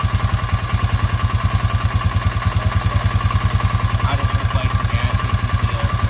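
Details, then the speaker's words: Honda Fourtrax 300 ATV idling after new exhaust install: quick light tick, about three per second, over exhaust beat; owner suspects cam chain or tensioner, may remove cylinder head to replace them, unconfirmed. "But I may gonna have to actually take this cylinder head off to replace the cam chain and the tensioner."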